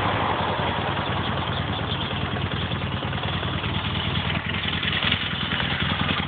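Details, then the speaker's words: Motorcycle warmed up after a valve adjustment, choke pulled: even idle and clean revs with no rattle over the exhaust; the earlier rattle is gone. "everything sounds pretty normal over here that rattle is definitely gone and I'm pretty sure it's on this side as well"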